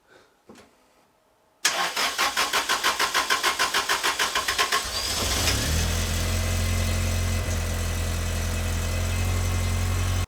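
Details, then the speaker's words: Lotus Elan M100 NA, already repaired, whose complaint was cranking forever before starting: about three seconds of even starter cranking, roughly three turns a second, before it catches and settles to idle. Demonstrates prolonged cranking. "so that wasn't what I wanted to show you but it was good enough to show you that it takes a bit of spinning for it to start"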